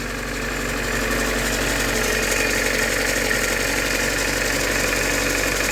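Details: VAZ 2112 after replacing crankshaft pulley and spark plugs, idling: even idle with light regular ticking about three per second and no belt noise; just hydraulic lifters, crank pulley runs true, healthy.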